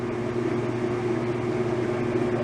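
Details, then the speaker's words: 1989 Whirlpool LA5400XTWO top-load washer, 34 years old, after cleaning rust from between the two baskets: even steady hum, smooth mid tone, no grinding or scraping as before; normal spin. "so there you go it didn't make that horrible noise so that proves the horrible noise was all that rust caught between the two baskets"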